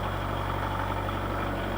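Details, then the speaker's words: Kubota KH-90 mini excavator (built 1984 onward), 4,900 hours, diesel needing a little glow: short stretch of even low idle with steady firing, no knocking or misfire; starts okay for its hours. "It starts okay for the amount of hours. It goes alright."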